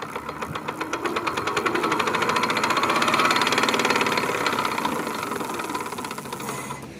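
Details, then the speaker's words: Electric bike hub motor after 6000 km: fast regular knock, about four per second, rising and fading with motor speed, coming from inside the hub; persists with brake sensors, throttle disconnected and pedaling only; internal cause suspected, unconfirmed. "Здравствуйте, затарахтел мотор. Затарахтел, как бы он набирал постепенно звук появлялся, то есть я как бы думал, что это просто специфический звук, но сейчас как бы покажу."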